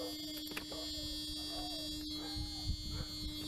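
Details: Mercedes W140 S600 V12 that won't start; a broken fuel line is suspected and bad gas smelled. A faint, steady mid-pitched electric buzz under the room noise: the fuel pump priming the system.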